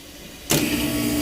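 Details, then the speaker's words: HVAC compressor that destroyed its start components and couldn't pump down: after shutoff a steady hiss with faint tone as gas leaks past internally; still runs but needs replacing, leaking reeds or relief valve suspected. "All right. So, it did finally shut off. This got sweaty. Yeah, you can hear it. It's leaking past."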